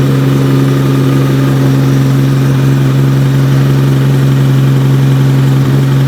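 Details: Nissan R32 GT-R with a 3.4L RB engine on a MoTeC ECU, on its first start after the build, with big rear mufflers keeping it quiet. A strong, steady, deep idle with no stumbling or popping; it runs cleanly.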